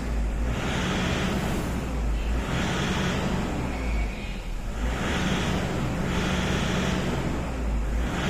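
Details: Toyota Innova diesel with occasional sudden stalling, during a fuel system leak test: idle surges up and down about every 1.5 seconds, never settling; unstable idle from a fuel system fault.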